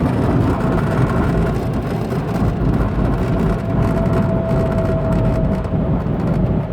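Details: 2007 Saturn Vue while driving: road noise with faint steady whirring/howling tone rising slightly then fading, from rear differential; owner suspects bad differential fluid, not confirmed.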